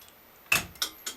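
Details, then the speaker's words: M301 siren control panel in continuous mode switched to code 3: sharp, crisp, loud relay clicks about a quarter second apart as the coding relay pulses the pattern normally. "you can hear that's the relay clicking right there it's pretty loud"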